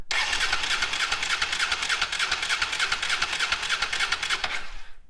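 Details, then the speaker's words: Honda Africa Twin cranking with the fuel line disconnected at a junction to check delivery. The starter spins steadily, about three beats a second, but it never fires and no fuel comes out. Fuel pump voltage is to be checked next. "so as you saw, I wasn't getting any fuel out of there. So the next thing I'm going to do is actually check to make sure I'm getting voltage to the fuel pump."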